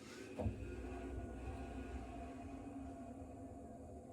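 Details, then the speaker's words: Tankless water heater firing when hot water comes on: fan instantly runs to exhaust fumes, quiet steady hum with faint whir rising from about 46 to 54 decibels then settling back down; normal startup, louder than a tank heater. "46 decibels right now. So it hit about 54. You could hear it ramp up and then it kind of goes back down. So that's kind of what you can expect."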